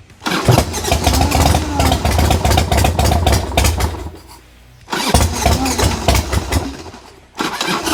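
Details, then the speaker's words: 1990 Harley-Davidson Sportster 1200 after 10 years in storage, with old gas drained, battery swapped and new spark plugs: the starter churns, the twin fires with a few uneven beats, then dies and cranks again. Suspected fuel starvation; petcocks being checked. "yeah it definitely sounds like lack of fuel because like it starts and then nothing"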